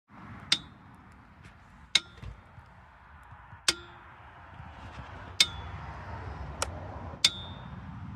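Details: Jack: sharp metallic pings every second or two, irregularly spaced over a low rumble; the jack clangs, but the cause is unclear.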